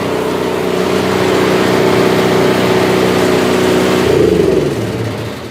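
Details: Toro Power Clear 721R snowblower after swapping bad varnish-smelling fuel that needed choke to run: steady even speed with no stumbling or surging, then winds down; healthy running on fresh fuel.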